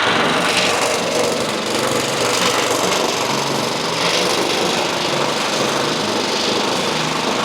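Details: Simplicity 2110 tractor mower, first start after sitting outside for two decades or more, choke on: small engine running fast and fairly steady with a buzzy rasp, no misses or knocks; running normally.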